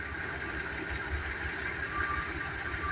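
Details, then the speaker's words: 1989 Ford Econoline 350 motor home V8, last run around 2020, started on four fresh gallons of gas diluting old tank fuel, initial ticking cleared: soft, even burble at idle, steady low pulse, no misses or knocks; normal healthy idle. "Sounds good. Sounds real healthy."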